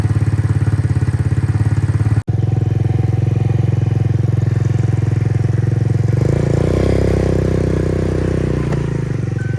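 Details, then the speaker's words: Roma150 (MotoBravo) scooter-motorcycle, 1,098 miles, after rejetting to a 120 jet and swapping to a vacuum fuel pump. A steady, even four-stroke thrum picks up smoothly with throttle, with no decel popping. Running normally. "So it runs much better now. I'm gonna start it up and we'll take it for a spin, and you'll notice difference from the previous video."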